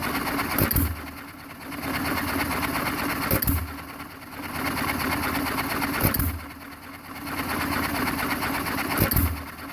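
Sharp firing bang about every three seconds, then coasting with light valve ticks; an even hit-and-miss cycle, running healthy.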